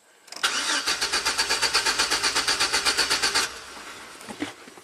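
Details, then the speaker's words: 2006 GMC Sierra V6, ran rough then died; owner already replaced distributor cap, rotor, plugs and wires. Starter cranks steadily about four beats a second for three seconds, never catching; no spark, ignition control module dead. "that's it we're done ignition control module is toast"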